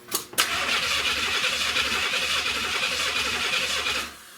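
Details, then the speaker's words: 1970 Buick Wildcat 455 V8: the starter spins steadily for about four seconds without firing; a wire was off the distributor and showed no power on a test light, so there is no ignition. "Alright, so what I got going on here, guys, is that I'm noticing one of the wires is off of the distributor. So I want to check this. Alright, no power."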